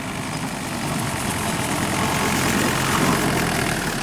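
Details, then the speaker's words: Woods 15 ft brush hog with engine governor, cutting grass: loud steady roar with a busy rattling chatter on turns; welded shaft shaking, loose PTO driveline suspected, not confirmed. "try to be easy on the turns you can hear it rattling you got to be careful"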